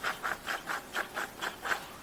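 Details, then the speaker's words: Maintenance-free mower/zero-turn deck spindle spun by hand: rough, gritty rumbling rasp three or four times a second; pre-greased bearing's grease has dissipated, dry bearing; fix is popping seals and greasing. "as you can see here the grease is dissipated inside this bearing so that's why you get that rumbling sound in there"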